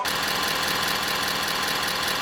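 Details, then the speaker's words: 2017 Ford 6.7 Powerstroke diesel at idle: steady idle with a fine buzzy rattle at constant pitch from the loose transmission dipstick tube vibrating, heard near the wiper motor area. "It has a slight vibration to it."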